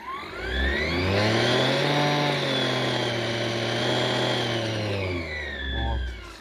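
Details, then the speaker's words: Braun CombiMax K700 food processor after repair: motor spins up, runs with a steady even hum, then winds down, the previous squeak/whistle gone and the shaft turning freely. "больше вот этого свиста прижата нету вот и так бывает вот видите после этой процедуры наш валик как стал легко вращаться видите вообще"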